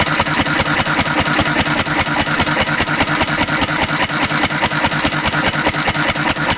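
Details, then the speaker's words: 1950s Cushman Cub single-cylinder four-stroke, throttle-governed stationary engine switched from gasoline to 91% rubbing alcohol, which separates from the gas: fast, rough, uneven, labouring beat of about two pulses a second; engine struggling on alcohol fuel. "the gasoline and the rubbing alcohol don't mix very well so you'll see they'll be separated for a minute you see it turning around in there yeah it's starting to struggle"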